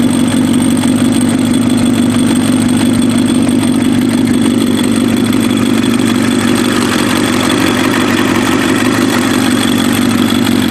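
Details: Warm Kawasaki ZX7R race bike on FCR41 flatslide carbs, synced, with fuel screws leaned to 1 turn out; smooth, consistent four-cylinder idle with no hunting, popping or stumbling. Cylinders 2 and 3 sync slightly off; normal idle.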